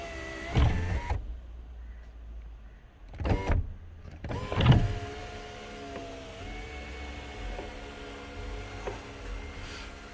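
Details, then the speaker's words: Sunroof panel travelling under its motor: thin, steady squeal as the dry hard rubber mount rubs the glass; fix is a very thin layer of lithium grease (red or yellowish brown, not black) on the mount. "where did that squeak come from? Here. Okay, it came from here and here. So what you do is you apply a very thin layer of grease, very thin, alright, just to lubricate it, so that when it touches the glass over here, there's a sort of a hard rubber mount here, so"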